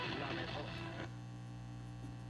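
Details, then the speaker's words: 1950s Telefunken Concertino 7 radio on AM with no station tuned: steady low hum with a buzzy edge under faint station sound, suspected to come from the filter capacitors. Mains hum from failing filter capacitors. "I tell you that's a really noisy hum though I can't tell you if that's being picked up or if that is just being emanated from the filter capacitors themselves"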